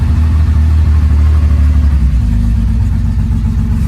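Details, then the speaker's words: 1970 Porsche 911 air-cooled flat-six after sitting: catches and runs with a lumpy, uneven beat and throttle blips; it is alive and revving. "Yes, we have done it. Got a bit of life."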